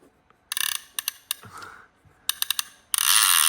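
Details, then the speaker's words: Serviced PENN 114H (Senator) reel with a new reel seat: spool turns with crisp, even bursts of rapid ratchet clicks; normal reel clicker. "Let's hear the clicker. Oh yeah. That's great."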